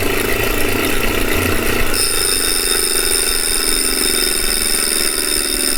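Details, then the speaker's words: Refurbished replacement 2018 Wahoo Kickr trainer, microphone by the flywheel: spinning up, a high thin whine joins the rushing hum and holds steady; far too loud, no bike shake so probably not unbalanced, cause unclear. "it's not supposed to sound like that but it doesn't shake the bike so it's probably not unbalanced it's just loud"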